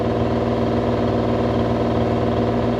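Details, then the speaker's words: Mini excavator diesel driving a newly bought brush cutter attachment in hydraulic mode 2: a steady, slightly laboured drone with low revs that kick back up a little. The engine is bogging under hydraulic load; cause undetermined (the owners are weighing swapping the one-way flow lines). "But you know, we spin it up in mode 2, and you see, you can hear the engine now kind of kick back up a little bit."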